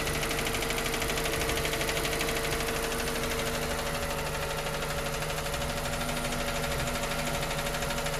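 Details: 2023 Suzuki Ignis Hybrid 4x4, K12D 1.2L petrol, cold idle: light quick ticking about three a second that disappears as the engine warms; source unclear.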